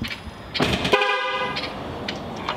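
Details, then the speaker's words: 2021 Duramax Silverado 2500 rebuild, horn tested on jump-box power before first engine start: a steady two-tone honk sounds clearly for about half a second; the horn is working normally. "horns working so that's good"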